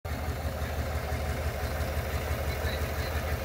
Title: P0300, P050D, Misfire Cylinder number 2, Chevy Suburban 5.3L v8 2021.